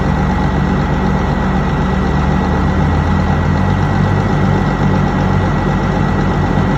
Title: Mitsubishi 6m60 Misfire Engine and Shaking@CranesEtcTV